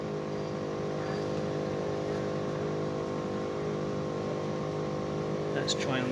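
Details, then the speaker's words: Outdoor inverter box of a three-year-old Bosch Climate 5000 split air con on heat setting: steady droning hum with fixed tones, vibration felt on the case, noise not from the fan, source unconfirmed. "but there's something else making a noise on that thought is such the case I feel vibration there"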